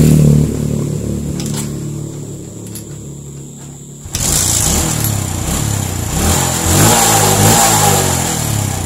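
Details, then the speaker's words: Suzuki Smash/Shogun SP 125 that had lost ignition, repaired by jumping the yellow-white-striped wire to the red wire, running without a battery on a local regulator: quiet clicks, then it catches and settles into a steady, even single-cylinder beat, running normally. "ini tanpa aki baru bisa normal dan kita gunakan kiprok yang lokal"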